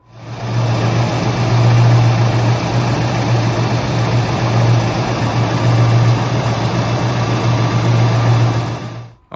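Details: 1991 Ford Fox body Mustang GT Convertible (T5) idling in neutral: loose uneven rattle like an exhaust shield, louder and faster with revs, almost gone when clutch pedal is pressed ~1/4 inch; throwout bearing rattle.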